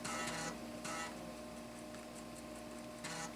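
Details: Salvaged 1990s eMachines desktop, tested floppy drive running an old program: short buzzing seek bursts with a faint whirr between them over a steady computer hum; floppy drive reading normally.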